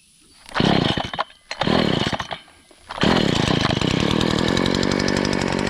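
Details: Stihl FS70R trimmer after repair of bogging and low power: too much oil in the fuel mix had clogged the spark arrestor and gunked the carburetor. Two throttle blips, then full revs held steady while cutting, clean crisp buzz, no stumbling; runs healthy.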